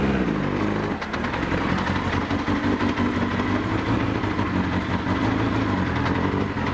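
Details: Honda CBR1000F four-cylinder, a landfill restoration bike, running at uneven idle after reassembly: loud, busy metallic rattle clattering over the engine; the engine has developed an alarming rattle of unknown cause.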